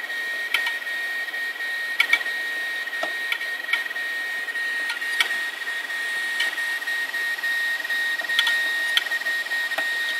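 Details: Failed hard drives running: a steady high whine from a spinning drive with sharp irregular clicks about every second, typical of a failing drive; a 2.5-inch disk screeches. Cause suspected, not confirmed.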